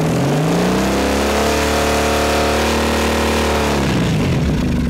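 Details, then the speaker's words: 2007 Triumph Thruxton 900 after stator and regulator replacement: clean smooth rise in revs, held and let down, no misses; voltage climbs from low idle reading to 13.6–13.7 V, charging system healthy, battery in poor condition. "But as soon as I start revving it up, we see our voltage come up to 13.6."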